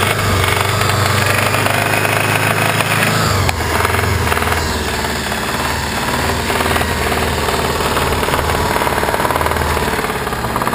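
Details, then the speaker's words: Subaru Legacy engine idling with cam belt covers off, no alternator or cooling hooked up: lumpy uneven low knocking that seems to come from inside the engine, not the tensioners or pulleys; owner fears serious engine damage. "be nothing really um sounds like it just sounds like it's coming from inside the engine"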